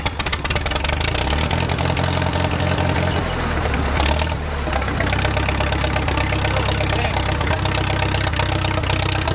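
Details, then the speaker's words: Wartime H tractor, first start after sitting 20+ years, carburetor just installed, cold: low, slightly uneven thump, firing steadily but rough while puking junk out; rough idle on first start after long storage. "ah yeah she's puking a bunch of junk out of there but let's see what she's got hell yeah"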